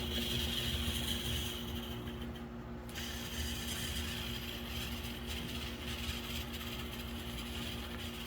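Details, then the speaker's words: MDC Roundhouse Shay kit locomotive, DZ123 DCC decoder, ultra-powerful motor and heavy weight, speed step 4–6 pulling a heavy car: thin steady whine with fast ratcheting chatter; gears cause the sound. "Okay, it's the gears right now that make the difference for sound. Why he sounds that way."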